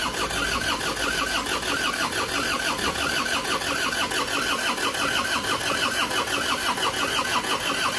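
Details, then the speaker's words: Isuzu Panther pickup diesel, which smoked from the dipstick and oil filler after an oil change, being reassembled. Steady cranking beat that never catches, with thick white smoke; injection timing too far retarded, and it starts once advanced. "Kalau asapnya banyak, putih tebal enggak hidup-dedup berarti terlalu mundur ya. Oke, sudah jelas kemunduran ini."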